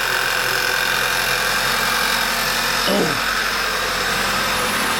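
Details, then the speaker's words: 2011 Passat running poorly at idle: constant sucking hiss with a faint whir low down that changes as vacuum builds, from a failed PCV valve; code bank 1 system too lean at idle. "ere's a great big suck noise coming out of somewhere. If you listen faintly, you can hear a little whir coming down the bottom there."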